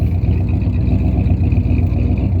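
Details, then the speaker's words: 1976 Ford F350 Super Cab with an FE V8 (360, 330 or 390 uncertain), likely freshened, just fitted with a battery and running on bad gas: a deep, steady, even idle with no knocks or misses, sounding healthy and smoothing out. "Running on bad gas right now. You can just smell the bad gas, but It sounds healthy."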